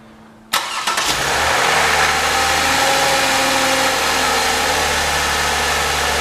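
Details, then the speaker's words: 2014 Toyota Highlander 3.5L with 92,000 miles and one quart too much oil, camera near the front of the engine on a cold start: it catches, then a light metallic rattle for a few seconds that is new in recent months; suspected timing chain or valvetrain noise, referred to the dealer. "okay when their first fire is up he's just a little rattling sound he says never used to do it before"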